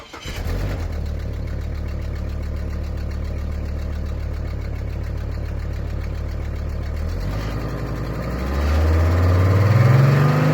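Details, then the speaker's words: High-mileage, off-roaded Hummer H3 at start-up. It catches and idles with a quick steady puffing tick over the exhaust note, then revs. The exhaust manifold is leaking: a cheap replacement manifold has always leaked, and cracked originals are common on these. "I cannot even imagine the comments that are going to be under this video because I shot this with the engine making that much noise with that exhaust leak. But it actually is a fairly quiet engine."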